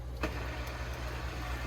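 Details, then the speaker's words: Fluval 407 canister filter, reconnected after removal, valves opened to refill it by siphon. Low, even motor hum with a faint wash of water and no rattle or gurgle. Running normally. "You can hear that. It's flowing and it's flowing."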